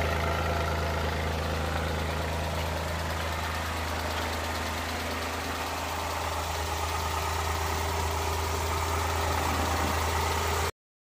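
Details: Suzuki Multicab F6A engine: steady low idle drone with faint irregular taps breaking the rhythm here and there, a random misfire at idle; cause not known.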